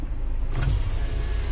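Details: Suzuki X-90 power window: a low, even motor drone as the glass runs down, with no stalling or grinding, so the motor works normally. The driver's window motor had failed and was being replaced; the passenger's works.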